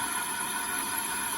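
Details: Dodge Grand Caravan running: a steady high whistle over the engine noise, traced with a stethoscope.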